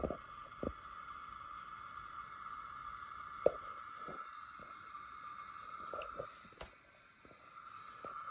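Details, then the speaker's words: Sony DXC-325P camera with EVV-9000P deck after IR filter repair, lens removed: faint steady high whine with scattered soft clicks still from the camera body; suspected mechanical or component whine, cause not yet found. "I think I'm just going to take the lens off and see if it still does it. Yeah, even with the lens off, it's still making a racket."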